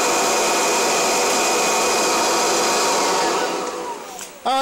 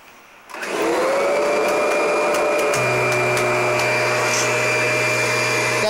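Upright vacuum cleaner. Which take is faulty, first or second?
second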